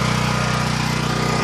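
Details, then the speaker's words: Champion 9000 W dual-fuel generator 100165, 439 cc single cylinder, new, after about three minutes running with a 1250 W heater load switched on (later 1500 W); steady even drone, no surging or hunting, engine barely notices the load, normal. "now we're going to after it's been running now for about three minutes we're going to turn on a heat load that thing barely noticed that that's twelve hundred and fifty watts on low"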